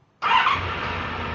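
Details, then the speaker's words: Honda VFR motorcycle after cleaning out a dirty gas system, restarted on the button: starter catches at once and it settles into a smooth even idle; healthy start. "there this is how this bike is supposed to run or start for that matter"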